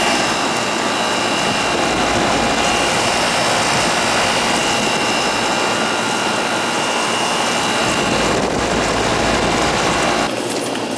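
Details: Older central AC outdoor unit with TXV: steady fan rush with constant compressor hum, no rattles or surging; condenser running normally, subcooling where it should be.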